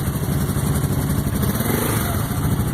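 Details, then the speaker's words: Carbureted four-wheeler, the Warrior, started after storage to warm it up and keep the carb from gumming, revved a little. Crisp, even single-cylinder thump that responds cleanly to light throttle with no knocks, runs like new, normal running. "Rev it up a little bit so you can hear it. It's like a brand new one, of course."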